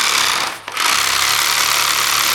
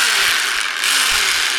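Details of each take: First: DeWalt D25003K type 2 hammer drill after new cord, piston O-ring and spring clip, in hammer-only mode: steady, loud, rapid hammering rattle, even and unbroken once the trigger is pulled; hammering normally. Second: DeWalt D25003K rotary hammer with chisel in hammer mode: motor whirs while the mechanism gives fast, dry ratcheting chatter with no hammer blows; won't stay in or engage hammer mode, cause unknown.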